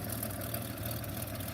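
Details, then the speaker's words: 1929 Buick, oil just changed with zinc added, spilled oil burning off: low, even idle with light, quick ticking keeping time with the engine; valve tick at idle. "You can hear the valves ticking. I guess let's let that oil burn off."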